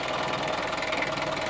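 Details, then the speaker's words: Opel Rekord 2.1 diesel that uses oil, recorded at the breather hose at idle: fast rhythmic puffing hiss. There is massive blow-by, likely from worn piston rings or cylinder walls, though the engine runs nicely. "There's a massive amount of blow-by on this engine. I think it's pretty safe to say that the issue with oil consumption comes from worn piston rings or cylinder walls on this engine."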